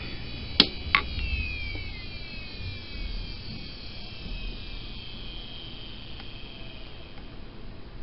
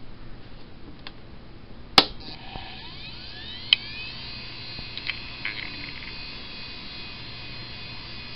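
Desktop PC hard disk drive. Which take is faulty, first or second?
second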